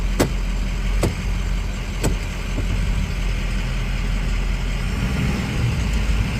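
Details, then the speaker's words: 2008 Ford E350 6.0 Powerstroke diesel just after secondary fuel filter replacement: steady, even idle with deep unchanging drone, no misses or surging; normal idle. "uh as you can see it's running so I didn't screw it up too bad so I'm Gonna Leave a run and let it ride a little while"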